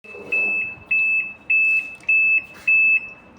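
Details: Realme top-load washing machine showing F1 error code: five evenly spaced high-pitched beeps, each about a third of a second, repeating roughly every 0.6 seconds; F1 error alert.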